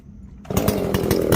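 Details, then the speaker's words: Echo CS-590 chainsaw after carb and exhaust opening mod, not running hot; snaps to a sharp ringing full-throttle scream with a fast stutter at the top, now reaching the rev limiter instead of blubbering out as before. "you can hear it going all the way up you can i mean i hope you can hear it on the video you can hear it ring"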